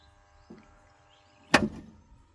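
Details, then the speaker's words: Three-phase borewell submersible motor starter panel: quiet hum, then one sharp clack as the overload relay trips on unbalanced phase current; motor drew 23 A, relay set at 14 A was replaced with a 20-33 A relay set to 24 A. "ನೋಡಿದ್ರಲ್ಲ ಯಾವ ರೀತಿ panel board trip ಆಯಿತು ಅಂದ್ಬಿಟ್ಟು."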